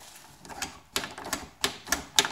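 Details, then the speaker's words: GM K5 truck door latch after Fluid Film lubrication: crisp clicks and clacks with no squeak in between; latch now smooth and quiet, "what a difference." "What a difference."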